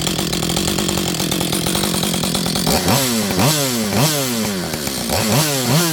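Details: Auction-bought auto-tune chainsaw, not yet warm, at fast idle: steady at first, then revs swing up and down about every two-thirds of a second while the auto-tune adapts. Owner suspects a rich mixture.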